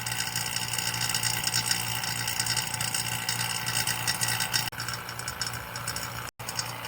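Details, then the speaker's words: Vacuum pump evacuating LG FLB075LBNA refrigerator system after linear inverter compressor replacement, R134a: steady whirring drone that quiets as vacuum nears complete; same sound with valve closed, normal. "como você pode ver o barulho já diminuído e o vácuo está quase completo se você fechar a válvula, você deve fique com o mesmo som"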